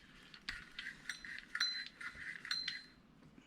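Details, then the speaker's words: Vintage Olympic ES-1M spinning reel cranked in reverse: light repeated metallic chirps because a missing washer leaves rotor spacing incorrect; rotor looks slightly bent or sitting higher on one side; anti-reverse still works. "I reverse you can hear that because of that washer being gone you can hear that little chirp because the spacing is not correct on it with the"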